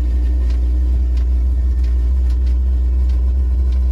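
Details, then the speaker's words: Chinese diesel air heater in Eagle bus conversion, flame lit: deep, loud, constant low growl from combustion air intake because its intake muffler wasn't fitted; loud intake growl from missing silencer. "oh that's my intake oh that's you got to put the thing on so i got to put my muffler on"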